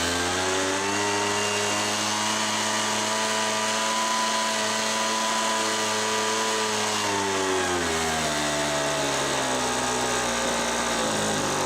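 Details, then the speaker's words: Homelite MightyLite 26b leaf blower (UT08520), after Zama carburetor kit rebuild, fuel line kit and warm mixture-screw adjustment: steady clean two-stroke buzz, drops smoothly as throttle eases, no bog or stumble; running properly. "I would say this was successful on those adjustments I'm actually very satisfied with how this repair went"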